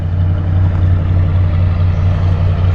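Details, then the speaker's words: Barn-find 1977 Lincoln Continental Town Coupe, parked for years, just fired up: deep, steady V8 burble at idle, smooth and even, no misses, knocks or ticks, not smoking; normal idle. "It's not smoking at all. Sounds really good. Always thought this car sound great with a nice dual exhaust on it."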